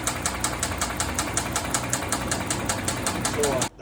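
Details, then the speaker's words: 2014 Hyundai Santa Fe 3.3L V6: sharp, evenly spaced metallic knocking from the bottom of the running engine, about four a second. Caused by rod bearing failure, with a worn crankshaft and 4 of 6 rods badly damaged; the crank was later ground. "was a knocking a noise coming from the bottom of the engine can hear that that's the sound of a Dying horse it had a a messed up crank bearing and the crank shot was all worn out"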